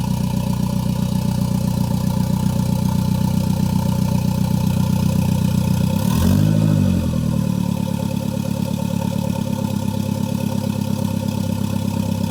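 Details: Gen5 Toyota Caldina with MR2 engine swap, first start with no exhaust fitted: loud raw open-pipe idle with an even, steady rhythm of quick pulses, firing cleanly on all cylinders; normal idle.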